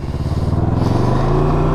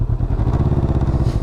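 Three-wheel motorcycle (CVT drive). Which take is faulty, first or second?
first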